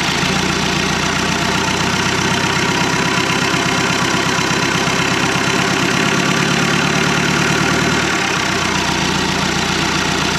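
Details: 1991 Land Rover Defender 90, Turner Engineering remanufactured 200TDI diesel, first start: uneven rattle at a low lumpy idle, about three clatters a second, evening out as revs lift; owner suspects idle set too low; 50 psi oil pressure.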